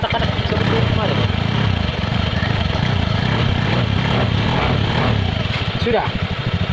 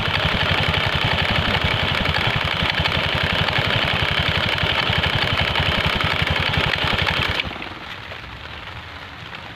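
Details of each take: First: Honda Scoopy scooter after CVT repair and reassembly: a steady, low, smooth idle with no knocking or rattle from the belt drive, the earlier klotok noise gone. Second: Honda Scoopy scooter at idle with a rhythmic clunking knock, about four per second, from the CVT until shut off; with the cover off it is suspected to come from the front side; worn clutch lining later found.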